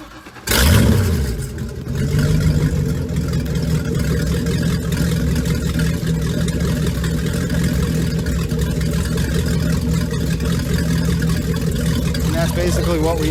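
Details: Mercruiser Bravo sterndrive after its sea water pump impeller was replaced and impeller chunks were flushed out. The engine catches after a short crank and settles into a steady, even idle with no knocks or misses.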